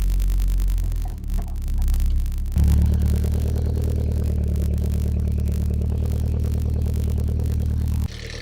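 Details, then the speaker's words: 1992 Nissan 240SX petrol engine idling and being revved, with a light, quick lifter-noise clatter over the engine hum; owner says it gets louder under load on the road. "Now that noise you're hearing there is a lifter noise."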